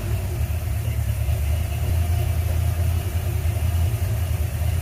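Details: 1977 Ford F-100 351M V8 just started after replacing the bad 2-barrel carburetor, mixture screws 1.5 turns out: low even rumble holding a steady idle with no stumbling or misfire; valve cover leaking, fuel apparently leaking at accelerator pump.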